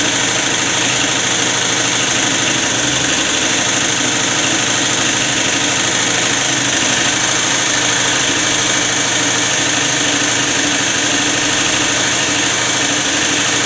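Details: Peugeot Elyseo 50 two-stroke scooter on its first run after a new cylinder: a buzzy engine with an irregular rattling knock about three times a second; the cause is suspected but unconfirmed.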